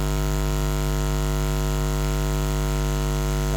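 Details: Loud, constant low buzz with a stack of steady tones from a condenser mic cabled into a camera in a studio with poor electrical grounding; mains ground-loop hum leaking into the audio.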